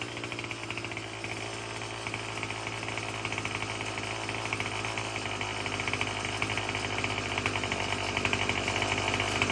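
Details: Murray M2510 two-stroke string trimmer, previously a no-start with broken-off choke lever, now running after a cheap quick fix: steady high buzzing idle with even firing, no stumbles or misses; running cleanly.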